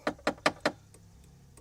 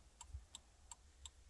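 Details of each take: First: 2001 Jeep Cherokee XJ turn signal flasher relay: four sharp relay clicks then faint irregular ticking, blinkers work only when relay is moved; intermittent faulty flasher relay, being replaced. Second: 2001 Jeep Cherokee XJ, key on after replacing the turn signal flasher relay: quiet, crisp ticks about three per second, evenly spaced; blinkers working again, normal flasher clicking.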